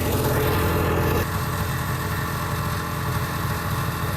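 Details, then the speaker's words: 1979 Kawasaki Drifter 440 two-stroke snowmobile riding in open country under load: drone suddenly sags about a second in, then labours lower; engine bogging down and losing power. "everything is going fine until the engine started bogging down and lost power"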